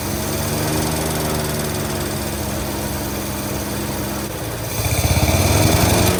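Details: 1948 Studebaker Champion flathead six, long abandoned, on old fuel, warming up: lumpy idle with a skipping exhaust beat, then a brief rev; number 6 dead, owner suspects an intake valve or plug wire corrosion.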